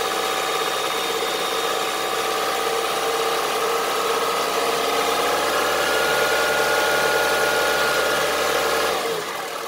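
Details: Honda CR-V III 2.4 engine at idle: steady idle with sharp, regular rapping of about three knocks a second over the engine note; diesel-like engine knock.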